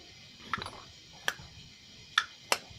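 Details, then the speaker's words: Rebuilt Dell'Orto MB 24 A carburetor from a Harley-Davidson 125cc two-stroke, float bowl reassembled, carb shaken by hand: four light, scattered clicks of the float tapping freely inside the bowl, no sticking or binding; free-moving carburetor float. "hear that float going up and down that's how you know it's free in there"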